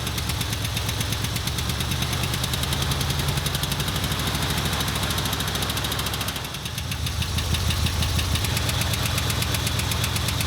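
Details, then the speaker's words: 1977 Ford F250 idling roughly after distributor reinstall at TDC, timing around 10–15°. Loud, fast ticking about three a second is new since the work and suspected to be a lifter tick, unconfirmed. "Boy, I don't like that. That is a like lifter tick to the max, dude. Jiminy Christmas, that's loud."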